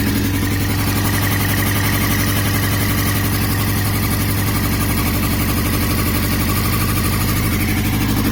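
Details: 2002 Yamaha R6 (YZF-R6) four-cylinder, 28,000 miles, at idle with an uneven, stumbling beat and irregular skips; engine/ignition misfire, cause unknown.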